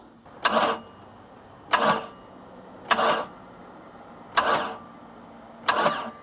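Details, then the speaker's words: Boat engine compression test while cranking, no firing: almost 100% leak-down at 100 PSI, air heard escaping from exhaust and intake, none from the oil side; slow even hissing puffs, very low compression. "I got this at 100 PSI we have almost 100% leak by I can hear it coming out of the exhaust and the intake right now"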